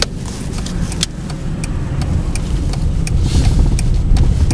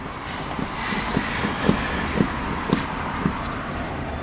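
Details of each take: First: VW Passat B5 driven down a ramp after the front-end clunk was fixed by shimming the suspension stops with about 1.5 mm: only an even rumble of tyres and road, no knocks from the front, suspension quiet. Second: VW Passat B5, body rocked by hand: dull thuds about twice a second, in time with the rocking, from both front corners. The upper arms are weak; the cause is unknown.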